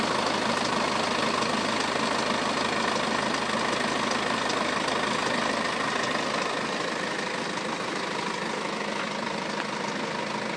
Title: BMW F10 520d Timing chain noise